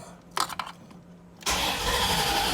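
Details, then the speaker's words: Stock 1989 Corvette, 77,000 miles, on its third fuel pump in two weeks; it runs about 20 miles, then loses fuel pressure: steady starter cranking with no catch even after priming, smelling very rich; the cause is unknown. "again the car won't start if you go down let's try to prime it all right well it tries but it won't"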